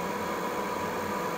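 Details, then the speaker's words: Reznor gas unit heater switched to heat via thermostat: venter (inducer) motor running its pre-purge, steady even hum with light whine and no rattle or scrape, normal operation. "so now that we have this turned to heat the venor motor has kicked on and it's going through its pre Purge"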